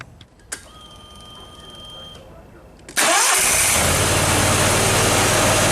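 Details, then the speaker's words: Briggs & Stratton Vanguard 37 hp EFI engine that ran badly with no power, after fault-code diagnostics and ignition coil work: quick crank, catches at once and runs steady and even, no misses; fault light stays off. "okay you can see that that runs a whole lot better that sounds a lot better doesn't even sound like the same engine running"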